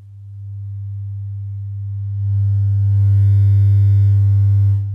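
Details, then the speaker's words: Miller and Kreisel VX-7 subwoofer amp after replacing electrolytic capacitors (except main filter caps), resoldering and retensioning the Molex connector, and cleaning the level and crossover pots: steady clean 100 Hz test tone, louder than before at the same signal level, no buzz or crackle; normal output. "definitely get more audio than we did before so i have not increased the signal generator audio level it's still at the exact same point"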